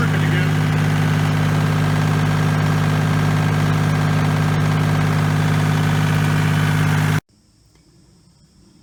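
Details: 1989 Kubota L2550 diesel tractor after repairing a failed fusible link wire, not starter or alternator; steady low chug with a constant hum and no missing beats until shut off; running normally.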